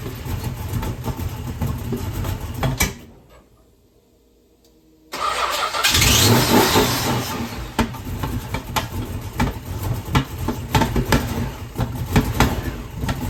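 After a pause the six fires up and settles into an uneven, stumbling idle with irregular thumps: a rough idle, cause not evident.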